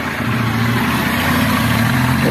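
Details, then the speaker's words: 160 cc motorcycle that had a thin engine noise blamed on the cylinder kit, running while leaking oil: even, steady single-cylinder idle with no knocking or ticking; normal idle, noise gone. "Cadê o barulho? Sumiu tudo. >> Sem barulho nenhum."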